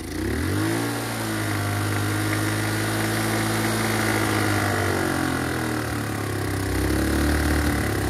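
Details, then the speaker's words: Chinese GY6 150cc scooter with new replacement carburetor, starting only on starter fluid: holds a raised, wandering speed with no settled idle despite mixture and idle screw adjustment; electric choke seems not to work; carburetor setup suspected. "so it won't idle either and I've messed with the air fuel mixture screw I've had messed with the idle screw for a long time"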